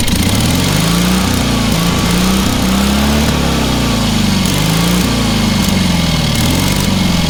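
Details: Small single-cylinder engine on a trailer-mounted cherry picker man lift, half throttle, water found in the oil and corroded intake: steady even chug, slightly wandering governor pitch, no misses or knocks; normal running.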